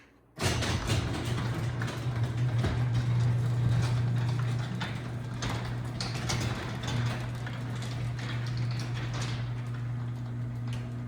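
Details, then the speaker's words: LiftMaster 3585 Elite Series AC 3/4 horsepower belt-drive opener, dated 04/02/09, on a 9x7 CHI door, run with a 373P remote. A steady, low, quiet motor hum with a few soft door knocks as it travels. Normal operation. "That's what an AC 3/4 horsepower belt drive should sound like. Take notes, Linear and Genie. Very quiet machine."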